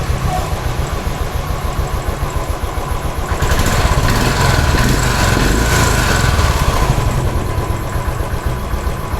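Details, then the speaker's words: Royal Enfield Standard 500 fuel-injected, bank angle sensor confirmed as the fault and temporarily tapped into place, needs replacing; even single-cylinder thump about 3.5 beats a second, no misses: normal idle. "ഇപ്പൊ correct ആയിട്ട് നിൽക്കുന്നുണ്ട് ഇപ്പൊ correct ആയിട്ട് നിൽക്കുന്നുണ്ട് വേറെ കുഴപ്പമൊന്നും ഇപ്പൊ ഇല്ല"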